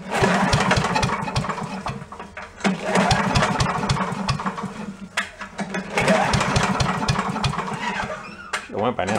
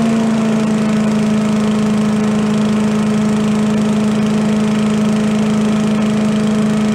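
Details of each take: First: Yard-sale commercial walk-behind leaf blower with carburetor problems, not running: small two-stroke catches on sprayed fuel, buzzes a few seconds and dies, three times; suspect fuel delivery; runs only on sprayed fuel. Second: Commercial walk-behind leaf blower after carburetor repair, fixing flooding from a shut-off/needle that wasn't shutting off (plug also suspected), air cleaner refitted: a steady even two-stroke drone with no stumbling or surging, some smoke. Running normally.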